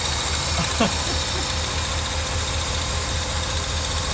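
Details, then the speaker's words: 1982 Mercedes 380SL after new timing chain tensioner (pre-loaded with oil) installed, long unused: steady even idle, smooth low rumble, no ticking or front rattle; quiet, great oil pressure, oil smoke boiling off exhaust from valve cover work. "wow that's the best that sounded yet bad timing chain tensioner I think it sounds pretty good she's quiet hadn't been driven in a long time"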